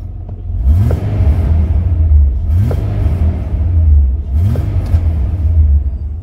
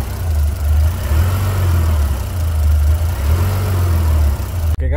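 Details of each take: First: 2003 Mitsubishi NP Pajero 3.8L V6 automatic after replacing the faulty mass airflow sensor (code P0100), codes cleared: steady low idle rumble and three clean, smooth revs, RPM stable with no hesitation. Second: 2003 Mitsubishi NP Pajero 3.8L V6 automatic with P0100 code, internally faulty mass airflow sensor: deep, uneven idle hum that swells and sags, RPM fluctuating, hesitation, check engine and traction control lights on.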